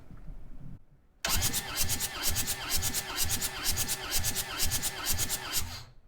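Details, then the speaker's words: Long-neglected skid steer compression test, cranking with gauge in cylinder three: steady roughly two beats a second with even pulses, reading about 250 psi, better than cylinders one and two (100). "so that one's got maybe 250 250 psi so it's better than the other"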